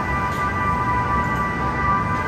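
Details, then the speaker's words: Cataract surgery irrigation-aspiration handpiece vacuuming the lens's soft outer shell; steady, unbroken mid-pitched electronic tone signalling active infusion and aspiration (pitch rises with more vacuum at the tip); normal irrigation-aspiration tone. "this next instrument is known as the irrigation and aspiration handpiece it's used to vacuum out the outer soft shell of the lens"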